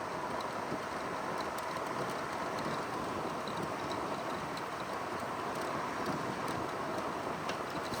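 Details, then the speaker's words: 2009 GE window air conditioner AEW05LMS2, R22 refrigerant, 115 V: soft steady airflow rush with refrigerant flowing, no rattles, knocks or squeals, on low indoor fan; running smoothly, normal. "it's got a excellent sound to it, the refrigerant going through the coils. It's just excellent."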